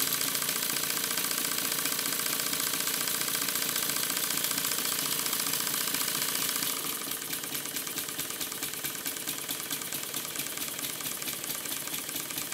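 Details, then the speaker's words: Stuart S50 model steam engine running on compressed air on the bench: a quick, even metallic ticking of about two to three per second over a light hiss. The crosshead knocks because the guide bars are not tight enough. "the knocking noise you can hear is because the guide bars are not tight enough on the crosshead once again as i showed in the previous episode"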